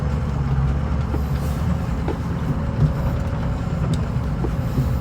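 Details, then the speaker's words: 2006 Ford F250 from inside the cab while driving, after replacing the cab bushings with Energy Suspension parts: a steady low road rumble with no knocks or clunks over bumps; the only noise is change in the overhead console. "This side, ooh, I hear nothing. Cool. That noise you just heard was some change up here in my overhead console."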